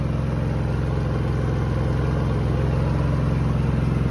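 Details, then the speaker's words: Predator 3500 Super Quiet inverter generator running normally with good voltage after fixing its carbon monoxide shut-off alarm fault; steady, even low thrum with smooth regular pulse, no knocks or surging. "all right that is it she is up and running got good voltage"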